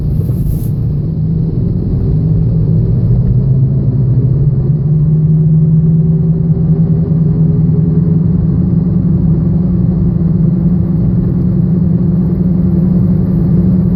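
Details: 2007 Chevrolet Aveo at 85,000 miles: steady low rumble and hum while driving from a bad wheel bearing, found while in for an engine misfire complaint.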